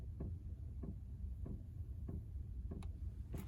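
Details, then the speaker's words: Chinese diesel air heater in a van, after bleeding air from the fuel line: soft, regular tick about every 0.6 seconds over a low hum; dosing fuel pump pulsing normally. "alright so now see we got the pump going"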